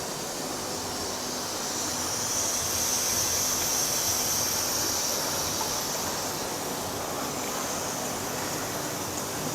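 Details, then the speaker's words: Presto pressure cooker with the flame turned down low: soft, even steam hiss continues steadily without dying out, showing the cooker still works properly. "Ketika saya kecilkan desisan makin mengecil ingat seperti saya bilang tadi jangan sampai the Sisanya hilang sama sekali tapi Buatlah seperti mendesis yang berisik nanti makin pelan"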